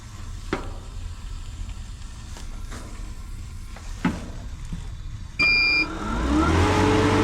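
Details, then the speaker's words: Recovery machine run from a 2000 W power station putting out 600 W during a Goodman heat pump compressor replacement: light clicks, short tone, then motor spins up smoothly to a steady hum; starts and runs normally, no problem. "Started that up, no problem whatsoever."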